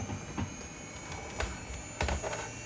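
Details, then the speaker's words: Amiga 3000 at power-on with a newly installed SCSI hard drive and a Gotek drive: a faint, steady high-pitched whine like an airplane, under soft clicks. The drive spins up normally, although no picture appears on screen yet. "Let me, oh, listen to that hard drive. Oh, it sounds like a SCSI hard drive. Oh my gosh, yep, sounds like an airplane booting up."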